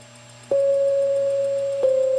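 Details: MIDI-controlled Hammond tone generator project through mixer to USB speaker, after adding a product to eliminate 60 Hz hum: steady pure tone near 550 Hz holds with only faint low hum underneath; clean output.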